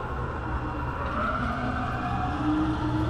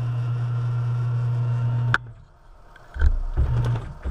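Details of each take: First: Tormach CNC mill Y axis during traverse, with Z and X sounding normal: a steady, rough, gritty grinding with no clean tone from the worn ball screw, which needs replacement. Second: Tormach CNC mill Y axis after ball screw replacement, slot made taller and way cover tilted out of the way: short jogs with clean steady low hum and quick stops, no grinding or notchiness, much better than before; smooth axis travel.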